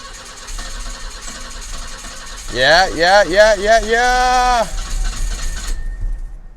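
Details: 1984 BMW 318i E30 that sat four years, crank-no-start from running out of fuel: after adding about four gallons and a stretch of cranking to rebuild fuel pressure, the engine catches and revs up and down unevenly.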